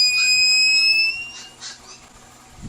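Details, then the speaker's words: TBE 2000 W power inverter with no output, being repaired: a steady high-pitched buzzer sounds about a second then cuts out as the inverter's protection trips again after sensing a fault; PWM/SPWM signals being checked. "O minsan yan hindi na siya nag hindi na siya nag-alarm kasi nga na-detect na niya pero ito yung signal natin dito yan nag-protect na rin ulit."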